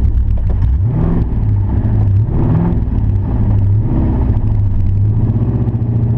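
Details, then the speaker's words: Camaro after power loss at wide-open throttle, stalling when off throttle, no smoke, poor pressure on the car's gauge: rough running with faint chatter-knock under the rumble; owner suspects a spun rod or main bearing, not confirmed. "some kind of chatter kind of knock in there full pressure doesn't look real good on the car gauge"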